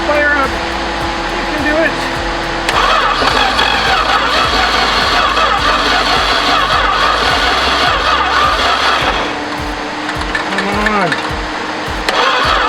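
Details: 1973 Duster slant six, unrun 21 years, after new distributor cap and rotor, reseated plug wires, vacuum leaks found: long steady starter cranking, engine never catches or fires; cranks fine but won't start.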